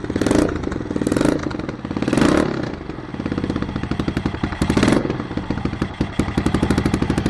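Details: 1993 Yamaha XT 600 E (3TB) enduro, first run after sitting about 12 years, no headers fitted: loud open single thumping evenly with crisp throttle blips rising and falling cleanly; runs strong, just very noisy.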